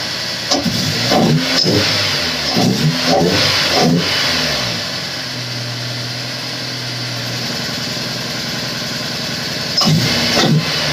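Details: Honda S2000 after melted number-one coil pack; second startup, several sharp throttle blips rise and fall cleanly, then a smooth even idle, no misfire; much better than rough first start; normal revving.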